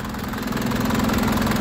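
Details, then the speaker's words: 2004 Isuzu Panther LS diesel, already warmed up from driving, with a 2022 battery and a strong starter; steady, even, crisp diesel clatter at idle with no misses or uneven beats, engine running calm and not limping; normal healthy diesel idle. "Dari suaranya kelihatan masih renyah ya. Suaranya masih renyah. [Tepuk tangan] Saat siunannya juga enak, suaranya renyah, mesinnya juga tenang, tidak pincang, ya."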